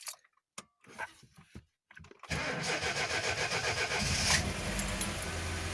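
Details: VAZ 2107 (21074) fuel-injected, about 36–37 thousand km, after a valve clearance check: a few clicks, then the engine catches and settles into an even, steady idle with no tapping or knocking; sounds healthy.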